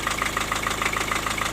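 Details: Four-cylinder diesel at idle: sharp, rapid metallic knock, hard and even every cycle. The owner suspected valves meeting the piston. The true cause was a loose piston in cylinder four with almost 1 mm of play. The block needs boring.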